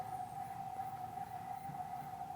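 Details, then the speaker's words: StepperOnline NEMA23 180W 3000RPM easy servo, gain raised to 13 and judged right on the edge, then backed to 12. Steady, thin high singing tone from the servo tuned near its stiffness limit. "in fact yeah let's go ahead and try it there and if it oh nope nope i can hear it's right on the edge snuck that back to 12."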